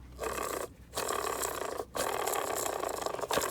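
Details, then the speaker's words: 1992 Mercedes W124 with M103 engine and random overheating: rough, gravelly rasping in three bursts as the worn fan bearing is spun by hand. It should be replaced, since a failing bearing can let the fan damage the radiator. "can hear how noisy that is so yeah if yours is noisy just replace it because if that thing decides to cut loose and there's no warning other than a noise and all the bearings will fall out the back side"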